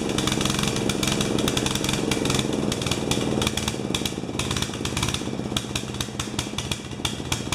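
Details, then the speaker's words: 12 HP Swisher bush cutter with a piece missing from its carburettor: ragged, surging, popping running, picking up at the end as it ran out of gas. Apparently running rich and drinking fuel, float level in the carburettor suspected way too high. "you can hear it at the end when it ran out of gas it picked up so joy guys sounds like it washed it's running rich letting itself"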